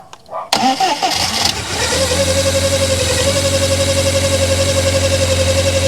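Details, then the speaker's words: 1997 Rover 200 vi after new head gasket: cranks briefly, fires right up and settles into a smooth even idle with no knocks or ticks, oil and dirt burning off the exhaust; normal start and idle. "sort of oil and dirt burning off the exhaust but other than that we've got a nicely running case here is there oh good amazing"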